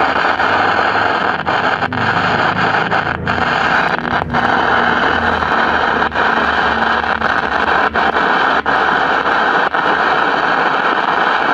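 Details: 1956 CBS 5-tube AM clock radio, volume wide open, no station: constant loud hiss with sharp random pops and crackles; volume control reduces it, ruling out the audio output stage; suspected silver mica disease in the IF transformers.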